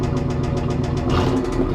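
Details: 1995 Camaro Z28 with LT1 V8, bought with a knocking engine, at idle: sharp hard knocks repeating fast and evenly over a lumpy idle, a deep metallic rap of a bad rod knock.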